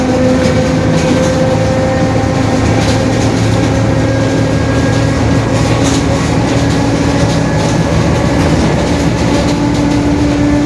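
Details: 2021 Marcopolo Torino S urban bus on Mercedes-Benz OF-1721 BlueTec 5 diesel chassis, extended length, recorded from the cabin: steady droning tone rising in pitch with road speed over heavy cabin rumble, a growling rear differential.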